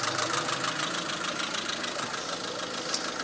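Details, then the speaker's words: Honda Civic wagon, first driving on own power, warm idle, mic worn on speaker: light ticking about three per second from cylinder head; valve lash needs adjustment. "don't know if you can hear since I have the mic on me, but the head itself has a little chatter in it. I need to adjust the valve lash, which is no problem."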